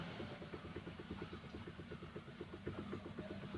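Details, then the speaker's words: Maruti Suzuki Alto steering rack knock: rapid, even clicking knocks several a second heard from underneath as the steering wheel is rocked, also over potholes and rough roads; caused by loose steering damper bolt (12 mm bolts), fixed by tightening damper nut. "നമ്മളിപ്പോൾ ഈ വണ്ടിയുടെ complaint എന്ന് വെച്ച് കഴിഞ്ഞാൽ നമ്മൾ ചെറിയ തരിപ്പ് റോഡിൽ കട്ടറിലൊക്കെ പോകുമ്പോൾ കിടിക്കിടിക്കിടിക്കിടിക്കിടിക്കുന്നുള്ള ഒരു സൗണ്ടാണ് മെയിനായിട്ട് കേൾക്കുന്നത്."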